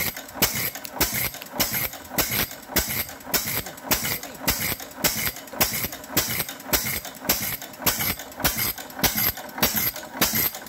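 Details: Fairbanks Morse 6hp Model Z single-cylinder engine just started with the fuel valve at one-eighth turn and drip oiler on. Crisp, evenly spaced exhaust bangs at roughly a hundred a minute, steady and unbroken; healthy normal running.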